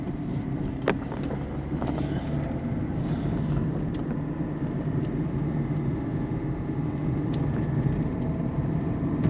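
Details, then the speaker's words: 2008 Peugeot 207 1.4 turbo diesel, 5-speed manual, driving over holes and bumps: steady cabin drone with sharp, isolated front suspension clunks; the ball joint and rubber bushings are still to be checked. "[Music] yeah I don't know if you heard that it's a plonk"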